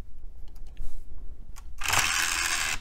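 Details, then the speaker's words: Old Dell 1990s–2000s system's optical drive after a loose tray gear was refitted and the open/close switch cleaned with DeoxIT: faint ticking, then about a second of harsh high-pitched grinding as the tray moves; noisy tray gears. "gears sound terrible okay well it's at least behaving itself now"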